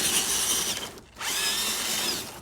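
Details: Axial SCX10 III RC crawler with SX107 servos and two-speed transmission (first and second gears close together), running in reverse: high whirring motor whine that dips and picks back up with throttle, no clicks or grinding; healthy drivetrain.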